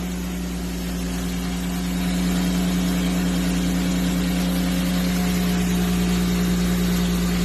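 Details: 1994 BMW 325 (E36), previously logging mass airflow sensor fault code 1215, after a smoke test found and cured a vacuum leak: a steady, even idle with a smooth low hum and no hunting or stumble. Normal idle.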